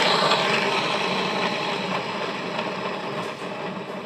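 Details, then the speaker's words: Yamaha Mio J scooter with a growling CVT, spun by hand during disassembly: rough gritty growl fading as it slows, still present so the fault remains; worn CVT bearings. "Oke masih bunyi kalau masih bunyi berarti penyakit tadi masih ada di situ"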